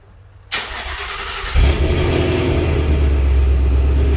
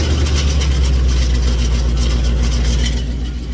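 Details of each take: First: 2019 Vortech supercharged Mustang with burble tune, after installing an MBRP X-pipe and suitcase (resonator) delete, heard from inside: engine catches and settles into a deep, steady exhaust rumble with even low throb, no rattles or leaks. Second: 2019 supercharged Mustang with headers, stock mufflers and suitcase resonator, started after one to two weeks on a decel burble/pop tune: fast tinny rattle over heavy idle, likely baffles inside resonator loosened by rapid heat expansion.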